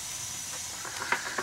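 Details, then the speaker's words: Gas boiler after the non-adjustable gas valve was replaced and combustion tuned down from high carbon monoxide, now about 12 ppm. The burner gives a soft, steady gas roar with no pulsing, rumbling or popping: normal, even flame after the repair. "what a difference you could hear the difference in the gas valve"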